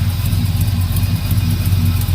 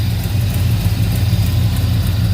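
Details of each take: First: 1971 Chevrolet El Camino, just started: loud deep lumpy idle with faint fast puffing tick from an exhaust leak at the header gasket; header to be pulled. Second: 1971 Chevrolet El Camino revived after sitting: after a brief rev the miss clears up, leaving a low steady V8 burble at idle with no misses, knocks or hunting; carb may need dialing in, possible float bowl drip.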